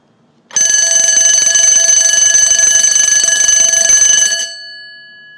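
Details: Mircom BL-6 fire alarm bell bench-tested on DC power, possibly overpowered: loud, rapid, continuous metallic ringing for about four seconds that stops cleanly and rings down; the bell works properly.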